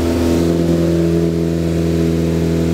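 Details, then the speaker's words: Freshly built Focus ST engine after a swap, break-in run held at 2,500 rpm so the rings seat: smooth steady drone at one even speed, no knocks or ticks; healthy fast idle. "we're doing the break-in process. So I'm doing my best to hold the engine RPM at 2,500 RPM."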